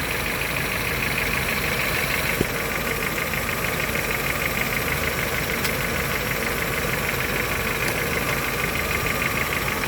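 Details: 2010 Honda Civic with a low-power complaint (also came in low on coolant), at idle. The idle is uneven and strained under a loud hissy rush, with a faint irregular beat about three per second. The exhaust is choked by a restricted catalytic converter.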